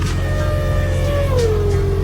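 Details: Mercedes diesel parked since summer with summer diesel in winter cold, warmed 15 minutes with heater: fuel pump hums steadily, straining on gelled fuel, pitch sagging; hum stops once warm fuel reaches pump.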